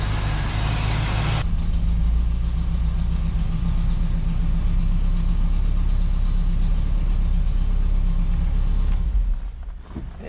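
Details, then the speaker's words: 1967 Camaro V8 revived after six years of neglect, fuel line just replaced: loud, lumpy idle that keeps stumbling, running on only about four cylinders; owner suspects a dirty carburetor idle circuit and plans to pull the lid and clean it. "So, the idle circuit's just dirty. Yeah, it idles on like four cylinders."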